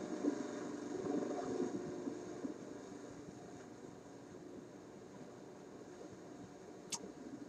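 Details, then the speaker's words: Concerto AM/FM vacuum tube radio during alignment, AM on rod antenna: only a faint crackly hiss with no clear station; AM reception drowned in noise, shop interference suspected, not confirmed. "well that sounds terrible that that does not sound like what radios normally sound like in my shop"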